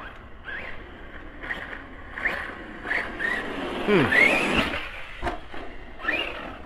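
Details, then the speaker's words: Arrma Kraton 4S RC truck; motor whine surges then cuts out every second or so with a squeal, jerking and stopping; owner first suspected motor, later found bad ESC: faulty ESC causing motor cut-out. "see now it just i'm not sure if i got a bad motor it's really weird the way it's like jerking and stopping"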